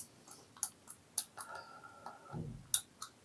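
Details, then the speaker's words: Zipstick Pro joystick, stiff unit reassembled with parts swapped round: moves easier but grindy, scratchy clicks when pushed right, and left sometimes doesn't register at all; worn or dirty micro switch suspected. "It moves easier, but then you get the grindy click when you move to the right, and then when you go left, it sometimes doesn't work at all."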